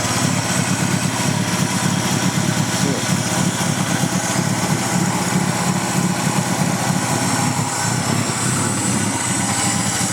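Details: PGT-ZE petrol engine idling roughly, low beat stumbling unevenly with idle speed wandering; misfire with erratic idle, owner unsure of cause, suspects possible vacuum leak.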